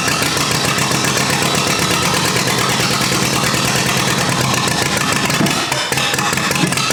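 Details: Rebuilt U23 engine, first start after 25 years, idle mixture screw about two turns out: ragged, unsteady idle that sags and nearly dies; carburetor not supplying enough fuel at idle.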